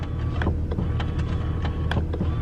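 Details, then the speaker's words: 2009 VW Touareg TDI, 168K miles, rear passenger power window; low motor drone with sharp clicks and knocks about every half second as the glass moves; failed window regulator, front passenger one also bad. "you can see or hear the regulator's bad so the regulator is bad on this back passenger window and the front passenger window"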